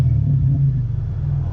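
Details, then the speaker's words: 2001 Toyota Tacoma 3.4 V6 with Flowmaster 40 series exhaust, revved after sealing weld leaks with JB Weld: deep, even rumble with no ticking puffs or hiss, mostly leak-free now; normal exhaust note. "Such a fantastic sound. I'm so happy with how this came out, and I'm glad that it's mostly leak-free now."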